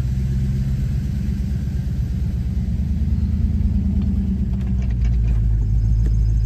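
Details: 1995 Mustang GT, about 135,000 miles, at idle: a low rumble with an uneven, stumbling pulse about three per second. The misfire began after a 300-mile trip. Plugs, gaps and wires tested good and the distributor cap was being checked. Cause is unknown.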